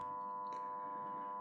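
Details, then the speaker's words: Tumble dryer about four years old, under a 10-year guarantee, not spinning after repeated on/off and dial changes; only a steady ringing chime-like tone, no drum rumble or tumbling; cause unknown. "Put this off and let them know that it's not working. I've tried everything, but as you can hear the sound, it's not spinning."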